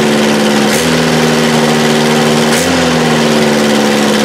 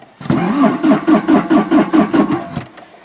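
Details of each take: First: 1984 Toyota SR5 pickup, first cold start after about five years sitting, after gas was added to the carb bowl and the fuel pump smacked: steady, even idle with a constant low hum and brief pitch dips, settling into normal idle. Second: 1984 Toyota SR5 pickup, sat about five years, cold start attempt: about eight even starter chugs at roughly two per second, engine turns freely but never catches; being fed gas into the carb bowl, fuel pump suspected, not confirmed.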